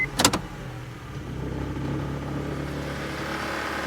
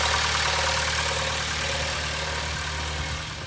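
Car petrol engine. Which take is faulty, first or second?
first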